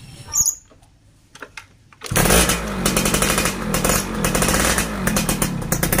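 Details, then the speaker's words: Yamaha VR two-stroke motorcycle that ran badly after getting very wet: revs rough and uneven, stuttering and bogging instead of climbing cleanly with heavy throttle. "OK, so it's like this, the gas is heavy and it can't be done smoothly"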